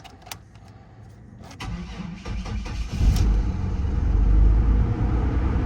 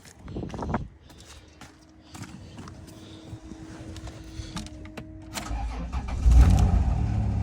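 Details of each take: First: Vehicle listed as runs and drives, jump-pack started: catches after cranking clatter and settles into an uneven, lumpy low rumble; running rough with no throttle response, service engine soon light blinking, change oil light on. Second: Vehicle at auction yard, 57,921 miles, dead battery started with a jump pack: starter churns briefly, then the engine catches and settles into a steady, smooth low idle; ABS and tire pressure lights on; healthy start.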